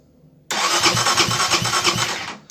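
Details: Benelli TNT 25 motorcycle after starter motor disassembly, repair and reinstallation, relay refitted: strong, even cranking pulses about three a second for two seconds; starter now turns the engine properly.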